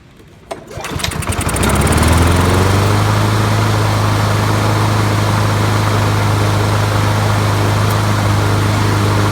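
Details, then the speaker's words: 20-year-old Honda HRB215 mower after swapping in a used replacement carburetor: pull start catches within a second and settles into a smooth, steady, even putter with no surging or hunting. The old carburetor was the fault; it now runs normally. "So that carburetor must have been it. Something's wrong with it."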